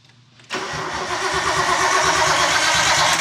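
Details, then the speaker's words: Nissan R32 Skyline cranking after sitting 4 years, no spark yet: starter turns the engine with steady, evenly spaced compression beats, about three a second, none missing; compression sounds good, with no dead cylinder. "cool that's cool that's good doesn't sound like it has a dead cylinder that's always really good"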